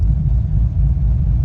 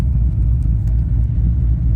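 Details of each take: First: LS-swapped BMW E36 during self-tuning, running on months-old fuel; deep, even idle rumble with no misses or hunting, holding rock solid with a normal swing; pressing the brake pedal loses booster vacuum and may introduce an air leak. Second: LS-swapped BMW E36 idling, inconsistent running, goes lean when brakes pressed: low engine rumble with on-off sharp airy hiss at brake booster firewall pass-through; owner suspects booster vacuum leak, not confirmed.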